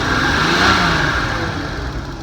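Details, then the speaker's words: Nissan 280ZX turbo project drag car on first start-up after sitting, running on old gas, with an electronic choke: short rev from a rough, uneven idle with a stumbling exhaust note; definitely missing, cause not confirmed. "It's definitely missing."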